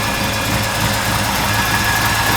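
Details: 1964 Impala SS V8 after carburetor rebuild with a Holley kit: settles into a steady, even idle with a smooth low rumble, no misses or stumbles; normal idle.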